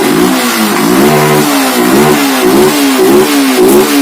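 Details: Yamaha FZ fuel-injected motorcycle, brought in with a missing, won't-rev problem, after the malfunction light clears: engine picks up cleanly and drops back through several quick blips, pitch rising and falling smoothly with no misses; runs healthy.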